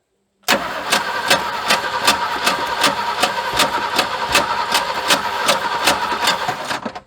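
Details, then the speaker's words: Junk vehicle fed from a temporary square gas tank with a pump shot: the starter spins the engine at an even, steady beat of about two and a half strokes a second, but it never catches. Owner suspects no spark; the wiring is unclear and a wire is off the solenoid. "I'm not real sure that we're getting spark. I don't remember the wiring, and this wire is off of the solenoid."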